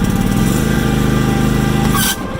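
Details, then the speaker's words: Craftsman DTL2000 riding mower after blade change: steady drone drops off abruptly near two seconds as the blades load it; PTO engaged below the needed 2/3 throttle, so the engine stalled. "The mower died out originally because typically with this thing you have to put it at 2/3 throttle, then engage the PTO"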